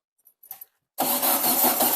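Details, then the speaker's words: Baja (VW bug) that won't start after water possibly got in: steady starter cranking with even churning rhythm but never fires; testing fuel pump output, which turned out to pump fuel; cause unconfirmed. "I'm gonna crank it we're gonna see if there's even fuel because this might just be a pump"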